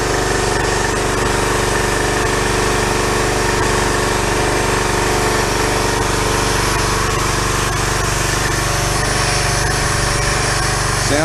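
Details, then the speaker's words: Pressure washer small engine after carburetor replacement, starts first pull: steady, even buzzing run, no misses or surges, maybe slightly slow, speed to be adjusted up; normal running, fault was the carburetor. "started up and when I tried it out and started on the first pole that's excellent it was the carburetor was a carburetor problem"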